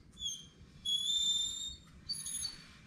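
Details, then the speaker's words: 2009 Ford F250, wheel off, hub turned slowly by hand: high-pitched squeals come and go from worn brake pads, little pad left but not yet to the rivets; slight lip on rotors; fix is new pads. "very good it's coming from the brakes well i got lucky and i caught it before it got into the rivets you can see there's not a lot of pad left"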